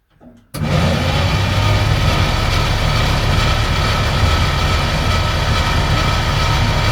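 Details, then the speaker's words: Ford 880 grain truck with seized 475 engine, plugs out and soaked with WD-40 for a week or two: fast, even starter cranking, no compression pulses or binding, pushing out residual WD-40; engine now cranking freely. "That sounds pretty good. It should have pushed all the residual WD-40 out of there."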